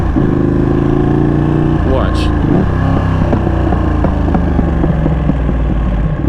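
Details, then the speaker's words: 2021 Ducati Panigale V2 twin idling warm at 217°F after two months of stalling, which the owner attributes to ECU self-calibration: steady, even low thrum with no stumbling or dying out; normal idle, stalling resolved. "the stalling issue has resolved itself but two months though god that was horrible but now the engine is running smoother no more stalling issues"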